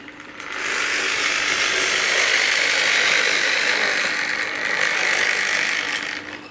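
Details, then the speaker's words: Tri-ang RS8 Midlander set loco on a Triumph Westminster controller running mostly in half wave: harsh buzzing motor with steady hum and gritty rasp; half-wave drive makes the motor noisy. "Now, this controller that I featured on the channel before does actually run quite a lot of the time in half wave, so listen to that. That is very noisy, isn't it?"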